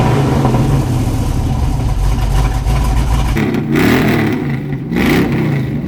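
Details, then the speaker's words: Junkyard LS V8 with eBay cam in an S10 drag truck, coolant near 194°F: deep even V8 rumble picking up smoothly through a few clean throttle blips and dropping back; no knocks or rattles, normal revving. "man this thing sounds good"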